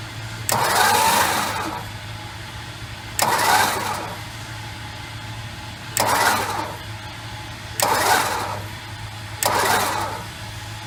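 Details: 1968 Chrysler 300 with 440 engine, long-sitting car, on jack stands after oil and filter change: five even, steady cranking bursts with no binding, knock or tapping to check valve movement; all valves open and close smoothly.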